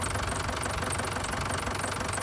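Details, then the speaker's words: 30+ year old ice cream van engine running, worse when the ice cream machine is on: busy continuous rattle and squeak over idle, alternator belt pulley shaking badly; owner suspects belt or bearing, loose bracket block rattling. "the top bit that it runs around is shaking quite a bit. So, I'm wondering it's either the belt or the bearing."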